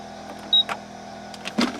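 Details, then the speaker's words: 2001 Buick Park Avenue with non-working rear defroster, ignition on, defroster toggled: a couple of dull clicks about a second apart over quiet cabin hum as the defroster relay, heard toward the back seat, switches on and off normally. "I can actually hear that relay clicking on and off when I'm doing that"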